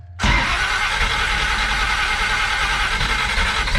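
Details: Big-cam big block Chevy, Holley 750 Double Pumper with a second set of holes drilled in the butterflies: fires up and settles into a lumpy, uneven idle that never smooths out. The idle is still not right.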